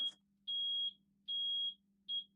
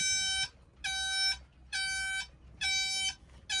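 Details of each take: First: Yamaha outboard boat ignition panel after replacing the ignition switches, which had caused strange startup noises: three clean high beeps of even pitch about half a second apart over a faint hum, the normal ready-to-start signal. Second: Yamaha outboard dual-engine start/ignition switch panel: six steady beeps about every 0.85 seconds, then a sharper different alternating tone; false alarm codes from the faulty switch panel, later replaced.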